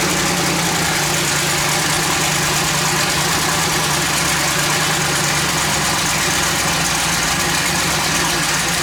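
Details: Twin-turbo LS-swapped Fox-body Mustang (about 1200 hp) with Holley, first start after water pump refit and coolant bleed, throttle body opened slightly: loud steady idle, constant exhaust rumble, lots of hiss, no hunting; normal idle.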